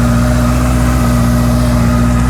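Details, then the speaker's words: Honda CB650F idling in neutral after a DIY service with the oil topped up. Smooth, even idle with a steady low hum and no knocks or misses; sounds healthy, no weird noises, and dry with no leaks. "So let's fire it up, just for the fun of it. She's in neutral. All sounds healthy, no weird noises."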